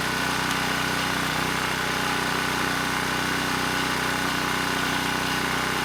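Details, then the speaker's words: ETQ 2700 W brushless-powerhead generator after governor calibration: steady even drone at one speed with faint constant whine, no hunting or surging; started slow, governor spring screw driven halfway in to reach 62 Hz, running normally. "that was much better the engine started it was running quite slow so i increased the spring tension i drove the screw about halfway in got the engine up to 62 hertz and things were running just fine"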